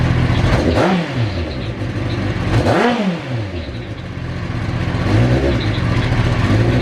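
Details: Kawasaki ZX9R E2 after a fuel filter change: cold start catches cleanly, a few sharp blips up and back down, then settles to an even idle; sounds healthy.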